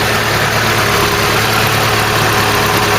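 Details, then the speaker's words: Ford Cortina Mk3 2-door GXL automatic, in a field since 1983 and now restored: smooth, even idle with a steady low hum and no knocks, ticks or misses; no smoke, cooling system holding pressure. "Listen to that engine though, doesn't that sound nice? Now you wouldn't think it's not been running since that amount of time, 83."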